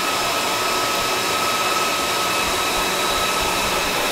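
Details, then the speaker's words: Dell PowerEdge 2950 II server at normal fan speed in a warm room of about 20–25 °C, steady even rushing air with a faint whine, after ramping down from full speed following its self-check. "so when you're in a fairly uh warm environment about 20 odd degrees 25 ish this is about the normal fan speed um it does go lower and of course when it's really really hot the fan speed generally is about as high as when we started"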